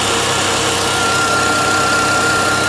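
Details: Volvo V70 six-cylinder petrol after a coolant leak and overheating, camera resting against the steering wheel: steady, smooth idle with a faint constant accessory whine, less vibration than before, while warming up; normal idle.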